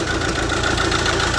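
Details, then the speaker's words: Mercedes A180 CDI diesel with a replacement engine at only 20,000 miles, idling with an uneven, lumpy chug from a misfiring cylinder; the code shows an injector open circuit on cylinder three. "a mercedes with a rental engine in with only 20 000 mile on misfiring because there's an injector going off as you can see a180 cdi it's chugging away as you can hear"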